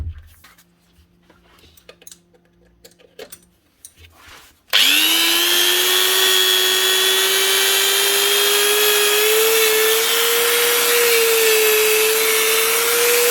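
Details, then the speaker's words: Repaired power tool (grinder) after new bearings, fresh grease and washers above and below the gear: initial struggle as grease works around the head, then steady high whine rising in pitch as it frees off, smooth and even; normal running. "out you can hear that initial struggle as it tries to get the grease moved around the head once it's warmed up moved into position you can hear the speed picking up then W not so bad"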